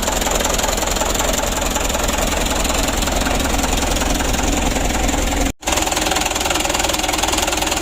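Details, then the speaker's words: Mitsubishi Canter 136 PS HDL diesel, warmed up, with injection pump adjustment not yet finished: uneven, lumpy idle with an irregular beat about once a second; the pump delivers unevenly, with cylinder 3 getting too much fuel and another too little. "ini untuk flownya posisinya ini tidak Soalnya uang saya tuh sangat jauh sekali yang satu sedikit-sedikit yang satu ini nomor 3 ini terlalu banyak"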